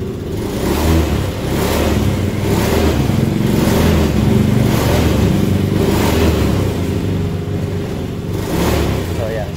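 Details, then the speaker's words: Honda Beat scooter after replacing a dirty, faulty fuel pump and clogged fuel filter: engine picks up cleanly on each throttle blip and returns to steady idle, no stumble or hesitation; earlier delay, misfire and hard starting now fixed. "na so responsive na ulit yung throttle niya kanina kasi p hindi kung hindi man delay palyado kasi kanina pag nakaganon na naka Menor pa rin"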